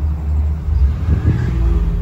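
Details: 1986 Nissan 300ZX 3.0 that would not start, running once a ground signal is supplied to the fuel pump circuit: settles into a steady low rumble and revs cleanly on throttle with no misfire or stumble. Normal idle.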